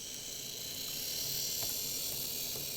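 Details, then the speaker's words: Graham Farish Class 44 locomotive, later split-chassis version, run forward and back on test track: light uneven ticking three or four times a second over high drive whir; motor fine, suspected split gear on one axle. "so i'm quite happy with the motor there the problem is that clicking i believe is going to be a split on one of the gears on one of the axles it could be another gear"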